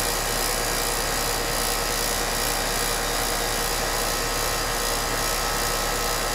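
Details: HVAC condenser unit at rental house after replacing bad 40+3 capacitor with 40+5 (only 40 side used): constant rushing airflow with steady whir, no humming stall or clicking; fan and compressor running normally.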